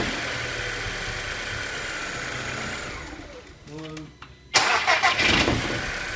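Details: TFSI after repair of a running fault, codes cleared: about a second of brisk, even cranking, then the engine catches cleanly and runs to a smooth idle; no fault codes return.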